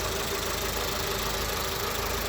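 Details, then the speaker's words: VW Polo Vivo 1.4i CLP engine after complete rebuild that fixed an earlier bad noise: steady, even idle hum with no knocks or ticks; idling normally. "Let me just start this car so that you can hear. So now car is idling normally."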